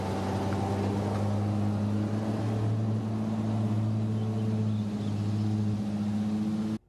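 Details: 1952 REO M-35 truck, REO 331 CI gasoline inline six, newly replaced cylinder head: steady but noticeably high, hurried idle, smooth firing with no knocks; fast idle due to the carburetor needing adjustment; fuel pump also needs replacing or rebuilding.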